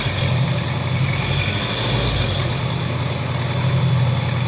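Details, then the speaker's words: Honda CB 500X at idle: steady twin-cylinder idle with a light, quick tapping that seems to come from the cylinder head, caused by a loose breather hose and a loose bolt on top of the head letting mechanical noise out through the breather. "parece como estivesse batendo a parte de cima e fazendo barulho da parte de cima é justamente porque todo o som do funcionamento do motor ele tá saindo pelo buraco do respiro aí então por isso que você escuta o barulho de mecânica mesmo ali"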